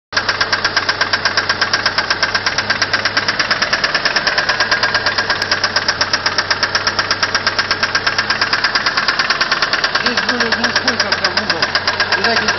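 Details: Mitsubishi 4G63 engine idling in neutral: loud rapid sharp clacking from the cylinder head, began suddenly at a traffic light; hydraulic lifters suspected, unchanged after checks, cause unconfirmed.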